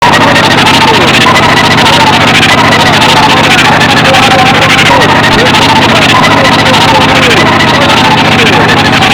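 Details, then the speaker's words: Old Mercedes with heavy steering: loud, constant, warbling screech over the running engine, at first only when steering, now continuous; owner hopes it is just low power steering fluid and checks the reservoir. "Was ist zu tun bei so einem Geräusch? Motorhaube auf und Flüssigkeiten testen. Vor allem die Bremsflüssigkeit für die Servolenkung."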